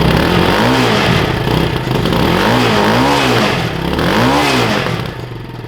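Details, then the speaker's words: Bashan Motomax 250, about 60 miles, stock exhaust before performance muffler and jetting upgrades: the single-cylinder bike is blipped three times, revs rising and falling cleanly with a moderate exhaust note and no knocks; healthy stock setup. "we'll let you hear it first what it sounds like with the factory exhaust, but uh we'll just give it a couple revs."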